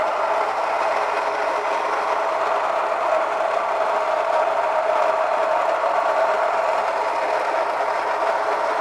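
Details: Kitchen stone grain mill cracking barley coarsely, with the grain coming out warmer as it heats through the mill: steady, even grinding hum with no knocks or surges; it runs smoothly under continuous load.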